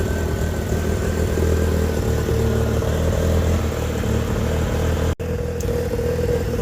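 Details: Mazda RX8 with bridge-ported 13B REW turbo swap on a Haltech S2 and a rough base map, at first fire-up: within a couple of minutes it idles around 1100 rpm with oil pressure, a steady, even, very smooth hum like a stock engine.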